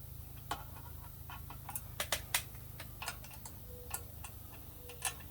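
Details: Lectric XP e-bike wheel spun after tire remount: light irregular ticks and scrapes as brake touches the rotor; owner thinks rotor slightly warped; fixed by loosening caliper and squeezing brake lever.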